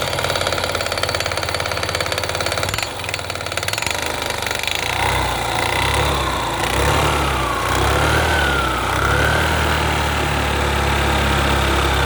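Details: Engine knock on an idling Yamaha Gear scooter: a hard knock repeats roughly three times a second, loosely regular over the engine note. The source is undetermined.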